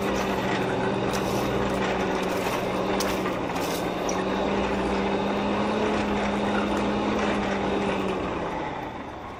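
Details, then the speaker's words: Hand-cranked coal forge blower after prying the packed fire up off the air grate with a poker while cranking: steady low hum with whooshing air, fading slightly at the end, much more airflow through the fire pot; normal. "There was a lot more airflow coming up through the fire pot, and that is what we want for a good hot fire without over oxygenating our steel."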